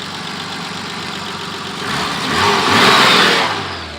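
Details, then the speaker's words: 1986 BMW E28 528e six-cylinder at idle, the day after repairs and a quart of Lucas oil stabilizer; coolant off, very little exhaust smoke. Even, steady purr with no knocks or misses, briefly swelling; idle may be high (tachometer broken). Normal idle. "so the coolant is no off and everything listen to this baby purr"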